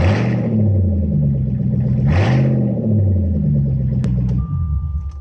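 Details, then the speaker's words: 2001 Jaguar XJR X308 with exhaust removed from mufflers back during driveshaft center bearing repair: deep loud raw unmuffled rumble rising and falling through two throttle blips; running straight-piped. "But since we got exhaust cut mufflers back, we got to hear what this sounds like straight piped."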